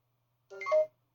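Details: Neato D7 Connected robot vacuum stuck in a boot loop, repeating a short rising three-note "bidibopp" start-up chime then silence; won't start, red battery symbol, new battery reads 14-15 V; owner suspects motherboard-to-battery communication failure.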